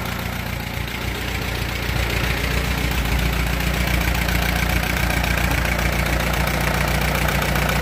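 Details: Allis Chalmers B tractor engine after repairs, muffler fitted: even, firm idle beating at about 220 per minute, deep steady rumble with no misses or clatter; runs smooth, with a faint oil-burning smell.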